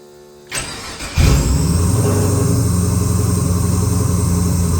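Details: XG ute, converted from carby to Holley EFI, restart after running a little: starter cranks briefly, engine catches without throttle (no throttle cable, idle screw turned up a fair bit) and settles into a steady, even idle; normal start and idle.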